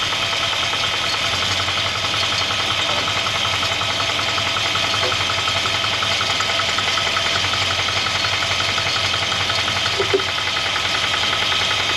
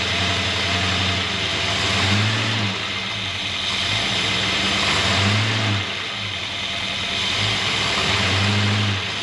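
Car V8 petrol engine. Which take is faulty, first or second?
first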